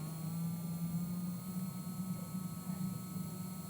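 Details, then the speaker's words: Electric drill running forward at speed 10 on a dial that tops out at 30: a steady, even motor hum at one pitch with a faint high whir and no rattle or wobble; normal running. "Go to 10. Listen and feel. That's what 10 speed rotations per minute sounds like."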